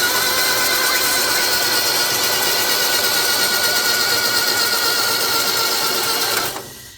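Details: Flood-damaged Isuzu Gemini under restoration, crank after the diff was refilled with old fluid and a battery fitted: fast, steady, even whirring crank without firing, and oil pressure is showing. Engine turns over freely; normal cranking.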